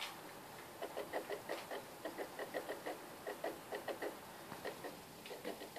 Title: Ps3 making noise